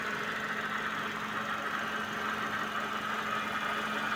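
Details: Suzuki Vitara power steering after cleaning reservoir and replacing foaming fluid: engine idles evenly with a faint steady hum and no groan or whine from the pump while steering; quiet and healthy.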